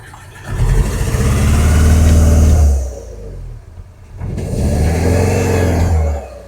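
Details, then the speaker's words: "Bavarian" car abandoned for 5 years, just started after long cranking: two throttle blips give a lumpy, uneven drone that shakes rather than revving smoothly, a bad misfire. It is thought to be running on two cylinders and is said to sound like a lawn mower. "When you get in the car, you sort of realize how badly it's running. It's Yeah, it's really rough."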